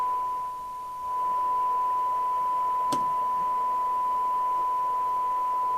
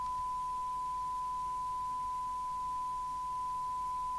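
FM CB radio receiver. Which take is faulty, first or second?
first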